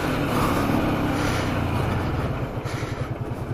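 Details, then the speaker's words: Honda Shadow 125, first ride after two years abandoned and an adjustment: steady, even engine drone on the move settling into a regular low thrum as it eases off; normal engine running. "Bon, déjà le moteur tourne bien."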